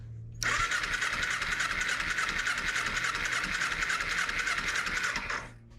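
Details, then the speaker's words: 2007 Kawasaki Ninja EX250 after sitting 5 years, on a temporary fuel cell: steady fast starter cranking for about five seconds with no firing. Carburetor jets were then pulled for cleaning. "let's go ahead and turn it back on and see will it fire up. Oh, nothing. What the heck's going on?"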